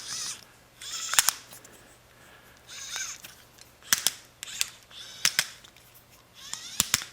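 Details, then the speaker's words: Microwave turntable motor (turntable not turning, power reaching motor) turned by hand: irregular crunchy clicks and scraping; owner suspects damaged nylon gears inside, grinding and crunching worsened over time; gear grinding. "gears and that's what I heard as this thing was getting worse and worse that's what I heard was grinding and and crunching"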